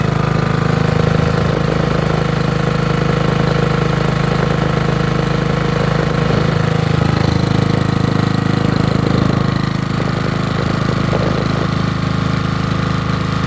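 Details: Generator cold start on a freezing, windy day, air filter kept on because its carburetor and tank run poorly without it; small engine then holds a steady, even buzzing idle, about two and a half beats per second, no stumbling: running fine.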